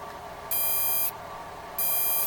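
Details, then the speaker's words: Atari arcade pinball CPU board: after the two seemingly stuck-low pins of the newly replaced chip were bent up off the net and power applied, the logic probe gives two long high beeps about a second apart over faint hum; the pins are now switching. "and now turning on the power as you can hear this came to life that came to life"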